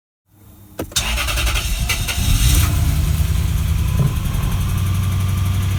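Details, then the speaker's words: Lexus GS430 V8 (LPG-converted) first start after valve-cover gasket, cam and VVTi seal replacement: engine catches and idles with a quick, fairly steady light tick over the rumble, heard on one bank only, not the other; valvetrain tick, cause not yet found. "You can hear the tick now. Can't hear anything this side. This side, definitely something going on."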